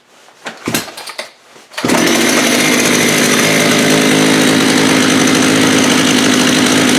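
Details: Vintage Jonsered 80 chainsaw after a carb kit and diaphragm change: after some handling it fires and holds a loud, even high-pitched buzz at steady speed; running properly.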